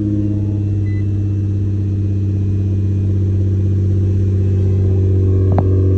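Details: Nissan GT-R R35 with code P1220 (fuel pump module), which had a no-start from a broken fuel pump fuse, with power at the pump confirmed: engine catches and settles into a strong steady low rumble with no misses or knocks; normal start and run.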